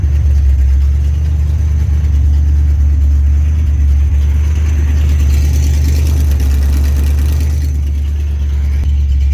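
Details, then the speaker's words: 1965 Chevrolet Impala lowrider, original 327 V8 after a complete rebuild, bored 60 over, exhaust not yet welded, at idle: deep, steady low rumble with an even beat and no knocks or ticks; sounds good. "Sounds good, man. I still got to get the exhaust welded, and then should be ready to come home soon, man."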